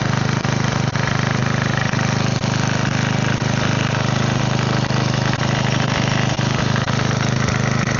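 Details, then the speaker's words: Side-shaft small engine for a go-kart after fuel line repair, running on a 2x4 with air filter off and smoking: steady even single-cylinder chug at constant speed, no misses or knocks; seems to run fine. "Don't know if that's normal, but it runs. Seems like it runs fine."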